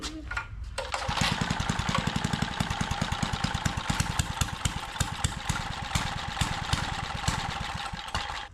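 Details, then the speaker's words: Trash-found small-engine edger, reportedly burning oil, crankcase badly overfilled with oil: catches and runs with rough uneven putter after choke; owner plans to drain oil; running with overfilled crankcase. "There is a lot of oil in it. So, I'm going to drain the oil and see if it'll start with less oil in it. Because if there's too much oil in it, it's just not going to run."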